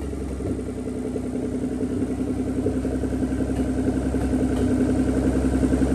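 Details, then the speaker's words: Nissan 300ZX Z32 twin turbo, no exhaust, no coolant, first start in a long time: open-pipe running, rising slightly in speed, with an uneven pulse and occasional skipped beat. Misfire, cause unconfirmed; the plugs are old except one random one. "But yeah, um I could for sure hear a miss. Uh like it has a little miss here and there."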